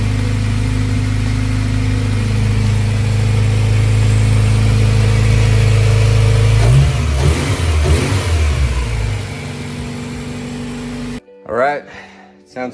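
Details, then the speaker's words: Honda CRX just refitted after engine-out respray, first start after oil priming: slightly uneven idle lope, then revs and settles; rough running, owner suspects distributor timing needs setting with a timing light. "Was a little bit rough. Uh I think the timing uh distributor and I got to ret time with the timing light um to make sure that it's all in sync with uh with um how it's supposed to be run."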